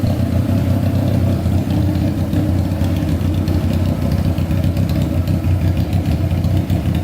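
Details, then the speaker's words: Honda CBR600 four-cylinder engine in a custom go-kart, left idling while waiting for the fan to come on: strong, even drone with no misses, rattles or knocks, described as amazing and pretty puffy. Normal, healthy running. "um that is insane that is sounding amazing pretty puffy"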